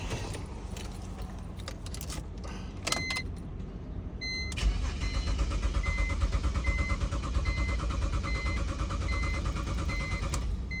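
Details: 2008 BMW X3 crank no start: starter cranks steadily at about three turns a second while dash chime beeps, engine never catches.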